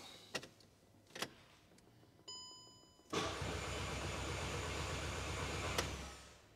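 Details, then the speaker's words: VW Golf GTI BWA converted to K04 turbo, RS4 fuel return valve and 200 bar rail sensor, on a base calibration: clicks, then about three seconds of cranking that never fires. Fuel appears to be backing up in the rail; cause not confirmed. "So you probably heard from that, there was no start to the vehicle."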